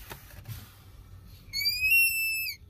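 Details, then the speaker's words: Ford F550 with vacuum brake assist: brake pedal pushed hard gives a high, steady squeal for about a second as vacuum leaks at the booster plunger, also hindering braking; brake booster vacuum leak. "we go we start leaking vacuum and it causes that squealing sound and it also hinders brake performance"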